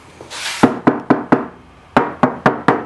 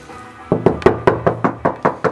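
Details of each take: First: Knuckle tap test on the unrepaired quarter panel of an R32 bought at auction as a grade R car: about ten even taps, each a short clean knock with a hollow ring; the normal panel sound. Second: Knuckle tap test on the opposite quarter panel of an R32 bought as an auction grade R car: nine quick taps give a dull solid thud with no hollow ring; Bondo body filler under the paint.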